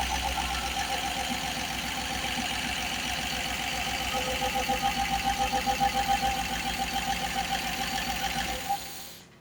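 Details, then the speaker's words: Rover V8 in a Ford Prefect, fully hot, after top-end rebuild with 3.9 EFI cylinder heads: steady, even idle with constant airy, gassy hiss from the head area over the firing pulses; runs and revs smoothly, source unidentified. "It's strange. It sounds almost like it's sort of like a gas type thing as in, you know, escaping gas or something."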